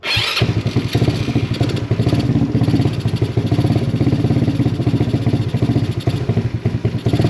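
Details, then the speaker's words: Honda Ruckus NPS50 scooter with a Rolling Wrench electric fuel pump: small engine runs rough and uneven with ragged, surging firing pulses and no steady idle, lean because the failed pump delivers barely enough fuel, then it dies. "That means it's lean. That means it's not getting enough gas. So it is pumping a tiny bit, just enough to get some in the float bowl and to get the bike started, then it'll die."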